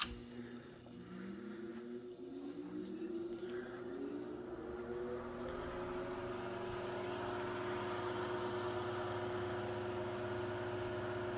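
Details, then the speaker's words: Late-1930s–1940 Chicago Electric Handy Breeze 12-inch two-speed oscillating table fan, model 314, on high: soft motor hum settling to a steady tone, handles buzz slightly, otherwise quiet and smooth. "high speed these handles here Buzz around a little bit other than that pretty quiet smooth [Music] Runner"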